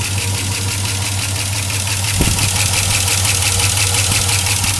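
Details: 2004 Silverado 5.3L V8, 59,000 miles, cold idle after oil change to 5W-30 Mobil 1 with AC Delco filter: sharp ticking about three per second, louder when cold; possible air leak suspected, unconfirmed.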